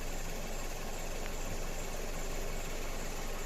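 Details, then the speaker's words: Mazda CX-7 2.3 idling with misfire after replaced engine, software and injectors; lumpy stumbling beat about 3.5 per second; scope shows two injectors lacking the closing hump and not working properly, causing the misfire. "відрізняються у нас як результат у нас пропуски запалення циліндра"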